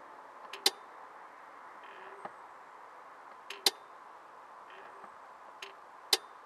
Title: Clicking noise